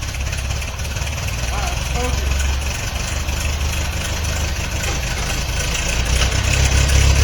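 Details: 1950 Ford 8N tractor, converted from factory 6-volt, first start in over 10 years after soaking in Marvel Mystery Oil: four-cylinder catches into a steady low chugging idle, uneven at first, very smoky, probably from carbon blowing out; running.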